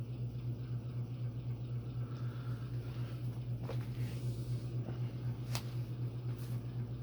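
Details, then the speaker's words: Phil Frey custom brass oak leaf antique ceiling fan with a Hunter 6-blade adapter and 38" Homestead blades: steady low hum with a wobble about four times a second; vibration source unknown, blades not loose, isolation material present. "none of the blades are loose so I'm not sure what's making that sound"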